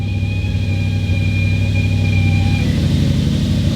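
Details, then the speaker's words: Audi B7 RS4 with modified exhaust, cold start: sharp steady high-pitched screech over deep rumbling cold idle that cuts out abruptly after a couple of seconds; cause unknown, only happens when cold. "see there it goes it's gone that sound just completely went away something isn't happy in there when it's [Music] cold"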